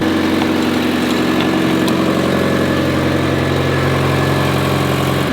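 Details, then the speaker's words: Mazda Miata barn find, idle just after first start in 3 years with good oil pressure, oil unchecked, brakes seized. Steady, even idle with a light ticking chatter on top, no misses or knocks; running smoothly: normal idle. "seems to be running pretty smoothly considering it hasn't run in 3 years"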